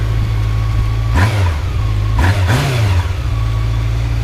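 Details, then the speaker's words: Honda Nighthawk motorcycle cold start at about 15°F, choke possibly still on; settles into a low even idle with clean throttle blips; owner thinks carbs still need adjusting; normal running after cold start. "runs like a top I love this bike so much idle is a little oh there it goes"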